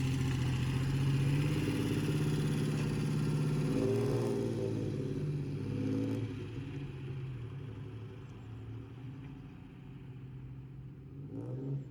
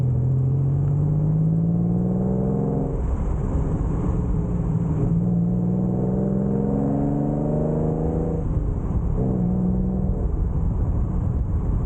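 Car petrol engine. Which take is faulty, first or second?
first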